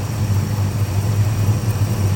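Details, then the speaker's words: 1965 Dodge Custom 880, running on a new carb after 3 years sitting. Steady low idle with an even rumble and no lifter tap; a light tick from a slight exhaust leak is buried under the engine note. Otherwise runs well. "And no lifter tap, nothing. The only tap you might hear on camera, got a slight exhaust leak, but it runs good"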